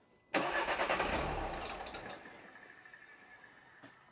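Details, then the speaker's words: 2012 Renault Scenic 3, 1.5 dCi K9K diesel, just after fuel filter change and priming: cranks, catches with a rough burst, then runs down and stalls within two seconds, consistent with air still in the fuel system. "Now, it's going to be a bit lumpy and struggle for a minute. It might even stall out. Just like that."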